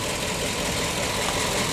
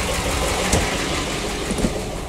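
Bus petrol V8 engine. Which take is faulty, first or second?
second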